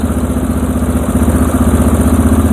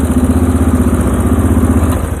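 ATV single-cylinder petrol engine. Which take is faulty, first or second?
second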